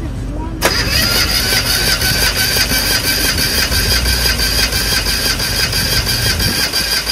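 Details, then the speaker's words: Even, steady starter cranking with no light or uneven strokes during a compression test. This cylinder reads 217 PSI, a lot of compression; normal cranking with good compression. "we got a lot of compression so lot of compression 217 PSI"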